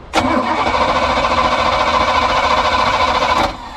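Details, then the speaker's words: 1979 Sea Ray boat engine after 17 years sitting, fuel line run from a temporary tank: catches at once and runs evenly about three seconds then cuts; suspected sediment or clogged vent in boat tank; fuel supply fault. "yeah that's working which means that something is up with the tank either there's some sediment buildup or the vent is clogged"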